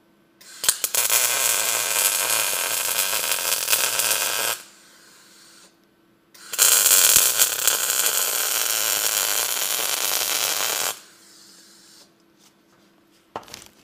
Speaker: Today, obviously, I'm using a MIG welder. So, as you can hear, it runs really good.